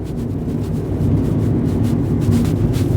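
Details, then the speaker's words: 2009 Fiat Doblo Cargo diesel van driving on road test, unladen, after fitting a new exhaust to replace one that fell off; low even drone with no blowing, chuffing or rattling underneath: exhaust sounds good. "Cool. Well, it sounds good"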